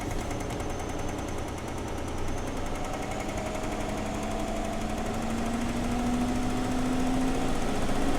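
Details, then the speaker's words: Chevy truck V8 (engine famous for rocker arm/lifter issues), dealer had called for engine and transmission; plugs and wires reportedly replaced; choppy idle with repeating chug and skipped beat, dead miss; misfire cause unconfirmed, compression test and valve cover check planned. "It's got a dead miss in it, dude."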